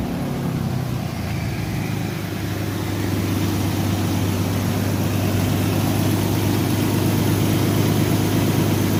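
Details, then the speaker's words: 2003 Ford Explorer 4.0 V6, first start after replacing all six spark plugs, coolant also serviced: fires right up and settles into a smooth, even idle with steady low hum, no misfire or ticking; normal idle. "It sounds good. Fire right up, guys."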